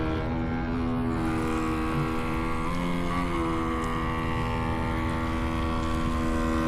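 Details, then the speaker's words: RC boat with Radiolink Cool 9030 ESC at slow speed: steady, even electric motor whine holding one pitch, no stutter or cogging; very smooth through the throttle, normal running. "Moving around really, really nice. Very smooth through the throttle. Very, very nice."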